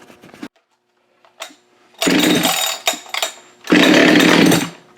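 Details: Husqvarna 572XP chainsaw built from used parts, just after muffler mod; fires in uneven bursts, revving hard then stumbling while AutoTune relearns the changed setup; rough running during AutoTune relearn.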